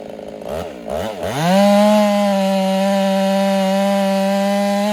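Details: Ported Husqvarna 385 chainsaw during break-in, tune slightly rich: it climbs to a high, clean steady note and holds it through very hard oak without bogging.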